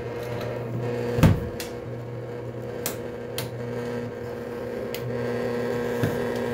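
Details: Condensate pump after clearing clogged check valve and flushing lines: even low motor hum holding steady between a few handling clunks; pump running normally and moving water.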